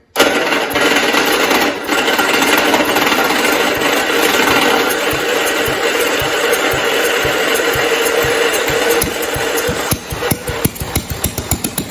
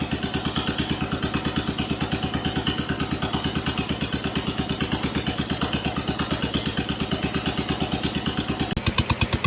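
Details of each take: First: 1969 John Deere 112 Blue Patio after a new ignition system: single-cylinder clatters at start, then runs with steady, evenly spaced firing pulses; running well, ignition problem fixed. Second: 1969 John Deere 112 Blue Patio tractor after a new ignition system install, running unmuffled and not yet throttled up. Slow, loping, slightly uneven single-cylinder idle at about three beats a second; owner suspects it is running rich, not confirmed.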